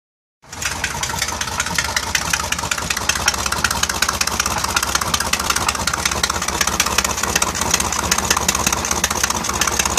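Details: Mercruiser 4.3L Alpha marine engine starting and settling to idle with a sharp, rapid tapping about two to three times a second, steady over the engine; suspected rod knock or a bad exhaust gasket, cause unclear.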